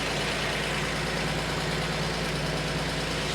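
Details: 1950 Chevy truck after fuel system replacement and carburetor cleaning, restarted after first run: old six-cylinder idling steady and even, no misfires or stumbles; normal idle.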